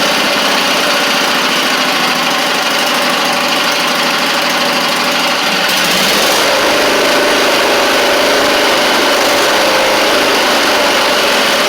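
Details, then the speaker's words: Briggs V-twin on a Huskee Supreme 50-inch riding mower, restarted on choke: uneven, lumpy running near two and a half beats a second, still dropping a cylinder; misfire, carburetor to be cleaned next. "oh oh it's still not right what I'm doing is I'm trying to burn it off of The Buck of my pull up choke it work or it will fire the second ch and you can hear it there too"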